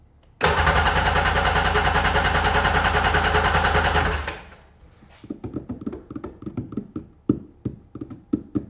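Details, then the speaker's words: Sea-Doo GTX DI 951 Millennium Edition, rebuilt engine, fuel pressure gauge fitted: steady starter whir about four seconds with no firing; cranks but won't start, extremely low fuel pressure observed. "See if we get some f fuel pressure. Getting nothing. Extremely low fuel pressure. It's coming up. Maybe that is okay now. Nothing."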